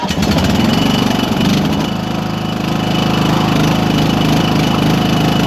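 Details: Toro Wheel Horse 14-38 HXL single-cylinder tractor, started with a jump pack on a battery that sat all winter and a two-wire solenoid: brief cranking churn, then steady even thump about 2.5 beats a second, running normally.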